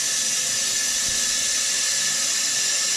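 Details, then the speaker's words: Toilet fill valve making a loud, steady high hiss of rushing water, with the tank filling slower than usual, caused by debris inside the fill valve. To be cleaned out, or the valve replaced if that fails. "your toilet's making a hissing noise and filling slower than usual well that's debris inside this fill valve"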